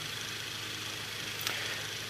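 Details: Late-1920s Victor Jr fan revived from a rusted-solid motor, extended run checking for bearing noise: soft, steady airy whir with faint low hum and one brief tick, no grinding or squeal. Normal running, no bearing noise.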